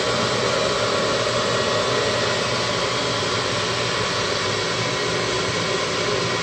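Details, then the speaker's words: Midco gas burner being hot-wired on a Slant Fin Intrepid steam boiler, firing after 30-second pre-purge: steady, even loud roar with no pulsing or surging; owner thinks it is way over-fired and expects it to start bouncing soon. "yeah i think that's over fire i think we'll start bouncing up and down pretty soon"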